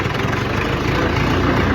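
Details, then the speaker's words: UTB tractor, rebuilt engine with new camshaft and oil pump, reducer in low range in fifth gear after rebuild with new bearings, PTO shaft, seals, planetary gears. Steady diesel drone, no grinding or knocking, barely noticeable whine; reducer healthy. "Deci cam așa se aude cu reductorul pe mic. Deci cam așa se aude. Se aude foarte puțin, oricum schimbă un pic mers."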